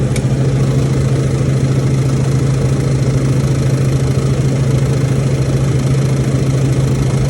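A loud, steady low hum with a rough throbbing underneath; this refrigeration unit runs noisier than it should, cause not yet clear.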